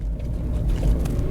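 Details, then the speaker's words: 2009 Range Rover Sport HSE diesel, frosty cold start after glow plugs cycled twice and a hard start: low uneven rumble, engine running very lumpy with little life, heavy smoke; cause not clear. "not much of it to be honest but we do have a little bit of life this is very lumpy"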